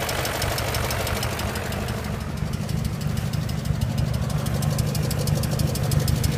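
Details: BMW E39 M5 V8 at idle with a deep, steady knock at roughly three per second over the rumbling idle. A bottom-end knock, suspected rod knock, unconfirmed.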